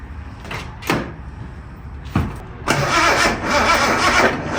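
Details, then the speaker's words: Barn-find Datsun 240Z cranked on its first start attempt in about 30 years, fuel filter not hooked up, starter fluid sprayed in the carburetors: cranking with sharp pops and a brief ragged catch that fades; spark present, no-start from fuel starvation. "So really, we just need fuel. Well, it does pop off. So that means we're getting spark. All it needs is fuel."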